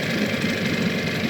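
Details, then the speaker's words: Evinrude 15hp long-shaft outboard, compression about 100–110, carb cleaned, new water pump; steady, even putter at low idle that can be brought lower still, no misses or knocks, idling smoothly and healthy. "But yeah, I mean, it idles just wonderfully. You can bring it down some more even."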